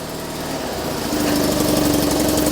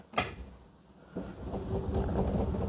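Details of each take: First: 2001 Ford AU Fairmont, battery weak after months sitting: cranks slowly, then catches, picks up and settles into a smooth, steady idle without stumbles or knocks; normal start and idle. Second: Three-wheeled Invacar with choke on maximum, in neutral, battery left sitting at 12.2 volts: sluggish cranking at about two and a half turns a second after a click; slow cranking from a weak battery.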